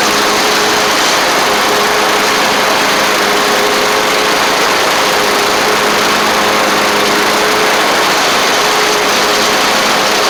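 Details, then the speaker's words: Troy Bilt Bronco mower with Kohler Courage single-cylinder engine, after starter solenoid replacement, carburetor cleaning, engine tightening and new oil drain plug: steady even drone, constant hum, no knocks or misses. Normal, healthy running. "I'll Crank It Up and just give youall a little bit of a test just to show you everything works good y'all just y'all saw me cut the grass with it so it should start right up"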